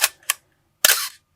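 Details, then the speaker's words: 1981 Canon AE-1 Program at 1/1000 s: two quick clicks then a slow, raspy whirr of about a third of a second, the classic shutter cough from mirror box gears lacking lubrication; shutter speeds are off. "pretty slow and you can hear that cough you know um I definitely recommend robot usn't now I'm playing but your shutter speeds are off when you have the cannon cough"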